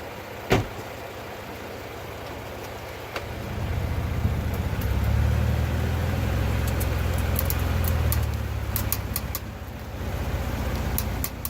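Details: 2017 Ford Fusion at low speed, mostly when turning right: low rumble with faint irregular clicks from the wheel well, caused by a worn front driver's-side wheel hub; replacing the hub stopped the clicking.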